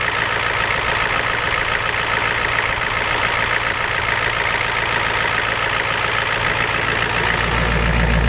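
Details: Ford F250 7.3 IDI diesel just cold-started at 12°F with glow plugs and ether: steady fast clatter at idle staying even throughout; normal cold-start injection knock, engine sounds healthy.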